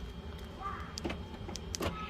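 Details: 2011 Infiniti G37 front door lock actuator after replacement, tested with the door panel refitted: brief motor whirr and a couple of clean lock clicks with no buzzing or grinding. Working normally.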